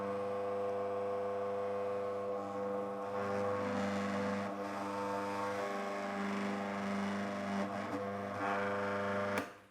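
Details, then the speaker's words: Mockmill 200 grain mill with the adjustment set to the finest setting, 1: steady motor hum and whir with no ticking at all, meaning the stones aren't meeting and the adjustment lever needs resetting. "okay so i brought that i thought i had that kind of at the right setting in the middle there i brought that right down to one hard against that edge and i didn't get any ticking sound"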